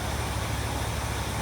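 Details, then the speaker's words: Old auction-bought Lincoln revived after decades, idling after fuel pump fix, no air filter fitted: very quiet, with fan and carburetor intake hiss louder than the faint, even exhaust rumble; running healthily, the earlier miss much improved. "This thing is so quiet. The fan and the carburetor sucking in air is making more than the exhaust."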